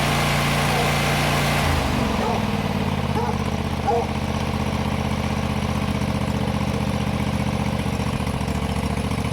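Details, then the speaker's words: John Deere GT245 mower after installing new air cleaners, old ones found plugged; catches in about two seconds and settles into a steady, even beat without misses; normal running, fix confirmed. "Well, I feel dumb now. That was it. My first thought was air cleaner, and that's actually what it was."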